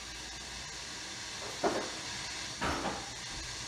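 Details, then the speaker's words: Nordmende Othello 1954/55 tube radio, switched on in UKW (FM) mode after replacing the blown fuse before the main transformer: steady even hiss with two brief soft crackles as the valves warm up over a few seconds; normal. "So let's turn it on. Be careful here. It usually takes a few seconds to warm up and get it situated."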